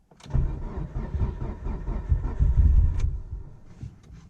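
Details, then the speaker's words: Mitsubishi Evo just changed from thick VR1 to OE-weight Amsoil, cold, neutral, no throttle: starter churns in low uneven rhythm for several seconds, never catches; hard cold start. "It is definitely cold, because I am freezing right now. Oh, yeah, it's cold. All right, please be nice to me. We're neutral, no gas. Come"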